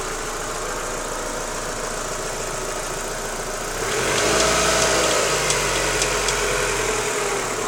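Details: Daewoo Lanos 1.6 16V: regular light knock about four per second at idle, persisting as revs rise, from the timing belt idlers; gone after replacing belt and rollers, though the removed parts showed nothing suspicious.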